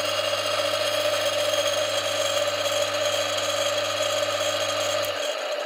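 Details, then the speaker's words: Brook Crompton 1.5 kW (about 2 hp) single-phase capacitor-start, capacitor-run motor with a newly replaced 30 µF run capacitor, briefly switched on then off: steady hum with a rumbly, screechy noise from worn bearings, then spin-down. The noise settles after a few minutes' running. "I think that it's a little bit noisy on the bearings. We'll have a listen in a moment. It's a little bit rumbly, a little bit screechy."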